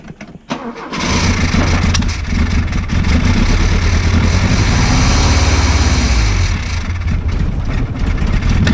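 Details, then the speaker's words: Opel GT 1.9L, freshly rebuilt, which ran fine on a test stand months earlier; cam and ignition timing, points and valve lash checked, compression about 140. It backfires, catches after a short crank, then chugs unevenly and won't rev above 1000 rpm. Cause unknown. "so I can't get it above a thousand now"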